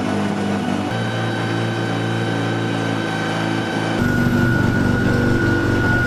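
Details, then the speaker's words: 1974 Mazda rotary pickup after RX7 5-speed, intake and Holley carburetor swap, first runs: steady high whine over the rotary engine; alternator bearing suspected, also low accelerator pump shot and possible vacuum leak at loose fitting. "oh that might be the bearing of the alternator that thing does not sound happy that's for sure"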